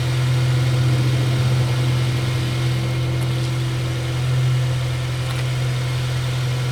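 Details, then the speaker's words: 2006 Honda Civic Si (8th gen, K-series) after PCV valve replacement: steady, even idle with the earlier scratchy, sandpaper-like grinding near the idler pulley gone. Background valve clicking is normal for the engine. Normal idle after repair. "All right. Um, hopefully you guys can hear me, but I don't really hear the grinding noise anymore. Um, like I said, all I did was replace that valve right there."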